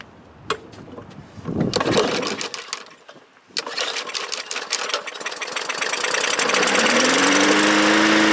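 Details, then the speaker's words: Bolens lawn mower with Briggs engine, pulled from the trash, not starting: after starting fluid is sprayed into the carburetor throat it catches after a few pulls and runs steadily; carburetor suspected not to supply fuel, cleaned afterward. "And we'll start it up, see if it'll start and run even for just a few seconds on the starting fluid."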